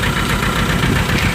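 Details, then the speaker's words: 1998 VW TDI diesel, ~500,000 miles, run on 80% waste vegetable oil; rough uneven idle with irregular low thumps, recorded at exhaust with blue smoke smelling of vegetable and motor oil. Misfire from stuck piston ring burning oil. "It smells like vegetable oil and probably a little bit of motor oil. That's what you get in that blue smoke, that misfire."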